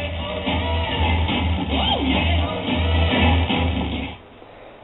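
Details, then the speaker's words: WWII Navy Scott SLR-12B shielded receiver (6V6 output tubes), working after only cleaning connections: clear, muffled, treble-less AM music from CFZM 740 Toronto on a clean background, normal reception. "um cfzm 740 out of Toronto Ontario um I just got this thing work actually it basically worked uh cleaned some connections um and it was fully operational much to my amazement"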